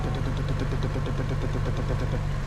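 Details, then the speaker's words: 2011 Chevy Cruze with brand-new engine and newly fitted turbo, no longer smoking: uneven stumbling idle with regular skips, suspected low compression on cylinder two (compression check not yet done) causing a misfire. "it appears as if we have a near compression on cylinder two we haven't ran a compression check yet but let's see right here listen to it it starts up maybe there it is skipping here"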